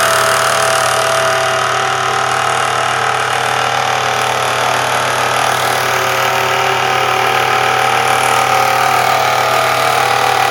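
Constant high whine over a steady idle with a faint regular tick; could be a worn alternator bearing, but that is unconfirmed.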